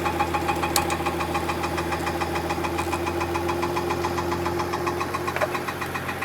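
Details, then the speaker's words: 2015 Mercedes-Benz S65 AMG after engine rebuild, new starter motor: quiet at idle, sharp regular knock when revved; starter motor touching, noise gone when its bolts were loosened, starter to be modified. "So on idle it's quiet, and the moment you start revving it, starts knocking. That's a starter motor bolt, so in theory if I'm going to loosen that bolt, the sound should go away."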